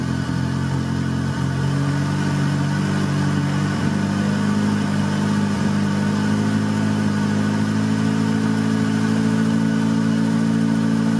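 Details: 1990 Honda Civic B20B with newly installed Crower aftermarket cams. Cold-started engine settles into a smooth, even idle with no valvetrain ticking; the earlier valve-cover-side noise is gone after loose bolts were fixed. Normal idle.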